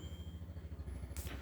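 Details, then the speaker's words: Microwave in a 2010 Bailey Pegasus 534 caravan, switched on at the dial: low even mains hum with gentle pulsing flutter, nothing rattling or buzzing; running normally. "The microwave works very much like your household microwave. So you've got a dial just here, and as you can hear, kicks in and starts operating as you'd expect"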